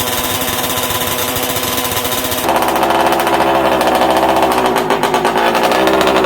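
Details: MCD XR5 71cc two-stroke after repairs (kill switch, engine mounts, gas tank): high buzzy drone stepping up sharply in pitch, holding rhythm without cutting out, until it runs out of fuel; normal running.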